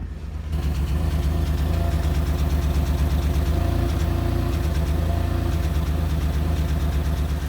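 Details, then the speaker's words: 1997 Chevrolet Camaro RS, 3.8L 3800 V6, before repair with a P0303 cylinder 3 misfire code: deep idle with an uneven, stumbling pulse that keeps skipping a beat. The misfire worsened over months and was caused by a cracked plug wire boot. "had this misfire for a little while now I could tell that it was misfiring few months ago check engine light was not on so it's a very slight mess slowly got worse"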